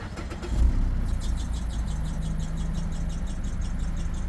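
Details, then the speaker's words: Engine with about 162,000 miles cranks and catches, then a worn serpentine belt chirps rapidly, about five times a second, and goes away. "belt you hear it chirp CHP ch ch ch ch ch and then it goes away"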